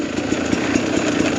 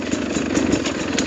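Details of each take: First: 2021 Sherco 300SE two-stroke with Lectron Billetron carb on trail, lacks pull uphill in third: buzzy note climbs then sags and stumbles briefly when throttle comes back on before picking up; carburetor bog on throttle reapplication. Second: 2021 Sherco 300SE two-stroke with Lectron Billetron carb, descending mountain trail hills: steady crackling idle with even pops, no hunting, not wanting to stall; strong normal idle.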